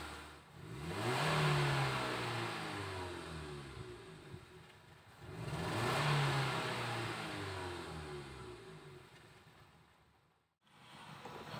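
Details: 2012 Nissan Livina manual after a Blackcore carbon-cleaning tune-up, which fixed the earlier unstable rpm and the engine being stuck near 1000 rpm: two clean rev-ups climb smoothly and settle back without hesitation or drone, so it sounds healthy and responsive.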